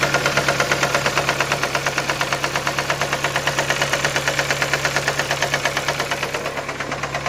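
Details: Skoda Fabia 1.4 AZE engine after oil pump gear came loose and camshaft sprocket slipped: sharp, even knock about twice a second at idle tracking engine speed; owner asks whether pistons or bent valves are knocking.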